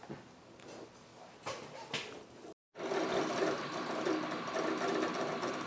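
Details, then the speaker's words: HP xw8600 workstation, Windows 7 Professional, booting: rapid uneven ticking and chattering about four a second over steady fan hum; hard drive seeking constantly and very loudly. "You can hear the drive. So loud."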